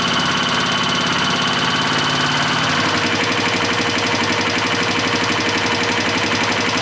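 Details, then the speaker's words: 2004 Yamaha Kodiak 400 ATV after total top-end rebuild, warm after a full heat cycle: fast, even ticking over the idle in time with the engine, valves slapping from loose lash. "hey that that's a full heat cycle it lives definitely need to check valve lash though sounds a little Slappy"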